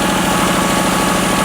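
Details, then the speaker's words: $300 Lexus LS400 running with the cam sensor unplugged: loud, steady, even idle with no misses; runs well only without the cam sensor, and with it connected it won't run, sensor suspected faulty. "I mean, listen to this thing run. It It runs great. The only problem is I don't have the damn cam sensor installed and if I hook it up, the car doesn't want to run anymore."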